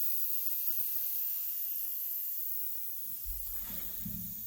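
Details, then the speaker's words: Tractor AC system pressure-tested with regulated shop air (not Freon): steady high airy hiss with faint handling thumps near end, air escaping from a leaking air conditioning line. "an air conditioning line. And he's leaking right there."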